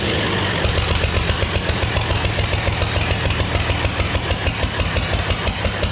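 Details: Early Case 930 diesel tractor, believed 1960, unstarted about 14 years, new filters, final filter primed, no exhaust manifold: loud uneven lumpy pulses at idle, a couple of cylinders not firing right, liquid from one; later ran out of diesel.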